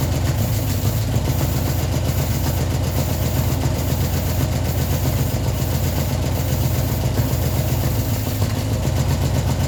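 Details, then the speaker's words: Ford Escort neglected 14 years, revived after flooding, idling only on the fuel in the carburetor bowl with fuel supply not yet sorted: low, steady idle, even rhythm, no misses or knocks; ticking over smoothly. "As you can see, it's running quite well now. Just got to get the fuel supply sorted."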